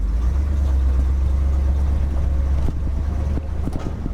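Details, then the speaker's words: 1969 Ford F-350 with swapped 352 FE V8, 4.56 gears, pulling gently in second to third gear around 10 mph: deep even rumble, no knocks or exhaust puffing; quieter after exhaust manifold gaskets fixed, normal running. "already tell it's doing a lot better running smoother for sure quieter that i fixed those exhaust manifold gaskets"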